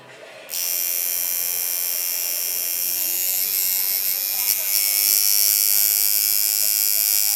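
Strong, even high buzz that starts crisply and holds speed without sagging; the coil machine is running healthy and punchy.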